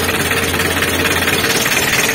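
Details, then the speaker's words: Mitsubishi L300 diesel that would not start because of a broken alternator cable, now running after the cable was replaced and soldered and the van push-started. It gives a typical rapid, regular diesel idle clatter with a steady pulse and no stumbling. "untuk mobilnya sudah hidup seperti ini sudah kita dorong juga tadi karena tidak diketahui untuk akhirnya tadi dicas cuma sebentar malah keburu Bentrok lagi ya seperti itu"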